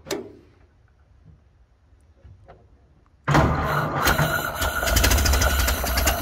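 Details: 1931 Ford Model A flathead four, 200.5 cu in, after sitting 67 years. Carburetor cleaned, including internal filter. Starts after quiet, slightly choked, and settles into a low, even idle with no misses or knocks. Healthy.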